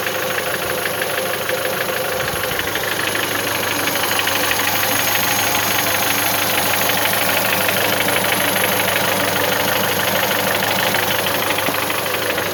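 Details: Mitsubishi 1.8 engine at steady idle with a regular knock about three times a second riding over the engine note; knocking from inside the engine, cause undetermined.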